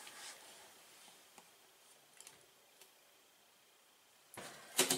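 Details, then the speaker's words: Pegasus 30 x 26 recessed bi-view medicine cabinet SP4584, mirrored door closing since installation: mostly quiet, then a sharp papery crackling rasp of about half a second like tape being pulled; source unknown, owner unsure whether it is bad. "ever since we installed it we've heard this sound when we're closing it I don't know what it is it almost sounds like a piece of tape being cold so I mean it might not be good I'll let you judge for yourself here"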